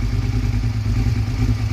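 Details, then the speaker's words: Motorcycle on a cold start, uneven thumping low beat with missed firing pulses as it cuts out one cylinder and runs rough; owner suspects a failing spark plug, misfire on one cylinder. "yeah but you'll hear it it'll it'll cut off one of the cylinders and it'll run real rough"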